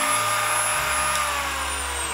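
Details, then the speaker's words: Parkside (Lidl) Dremel-style multitool at maximum speed after a hose clamp reshaped the out-of-round housing that let motor and fan rub: smooth even high whir, no rubbing or scraping; normal full-speed running after repair. "Et là je peux régler maintenant l'intensité que je veux, du moins la vitesse de rotation. Et là je suis au maximum et on n'entend plus du tout le"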